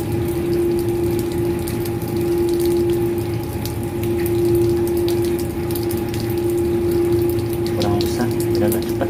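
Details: Booster pump during commissioning, pressure set to start at 2 and 2.5: constant motor hum with a steady whine and water rushing through, no rattle or surging; normal running.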